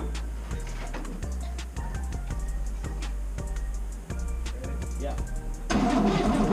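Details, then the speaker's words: 1962 Cadillac hearse that sat over 40 years, now with a swapped-in junkyard engine, on its first start: even cranking at about four beats a second, then it fires and runs rough but steady. Healthy start. "it's been like 20 minutes it sounds healthy too dude"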